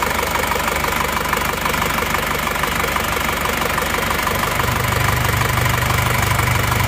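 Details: Isuzu Panther L 1740 diesel, warm idle after piston ring and piston replacement; rough sound was from worn pistons, not the injection pump. Steady, settled clatter about two beats per second: normal idle.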